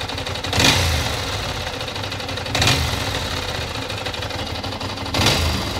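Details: 1996 Ducati 600 Monster twin idling unevenly, with three sharp rev blips about two seconds apart and metallic clatter over the beat. Abnormal engine noise, cause unclear.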